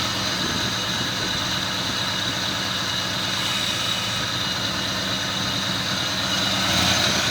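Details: 1969 Ford Mustang fastback, newer rebuilt 302 V8, C4 automatic: steady even idle with smooth low rumble, no knocks or misses; runs cleanly.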